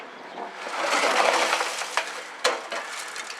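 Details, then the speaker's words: 1969 Lincoln Mark III fuel tank, removed, rusted and with old brazed patchwork, tipped up by one end: rushing sliding rasp then loose clunks, with lots of rust and junk suspected inside; tank being replaced. "Alright, I'm going to pick one end of this tank up and see if you can hear all the crap in it."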